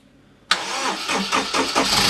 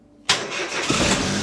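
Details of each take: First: 2006 Daihatsu Charade/Mira/Cuore L251, known to smoke badly, first start since June on a jump pack: cranks a few beats, catches, runs harsh and rattly briefly until slow oil pressure builds, then settles. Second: Car started on jump pack after fuel system primed: short crank then clean catch into steady, even idle with no misses or knocks.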